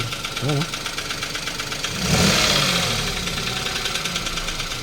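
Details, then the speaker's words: Toyota Wigo 1KR engine after heavy rain and flooding: uneven knocking about three per second over the idle; suspected bent connecting rod, engine to be opened. "So yung mga ganyang ingay mga Bossing ay connecting rod na naman to baluktot"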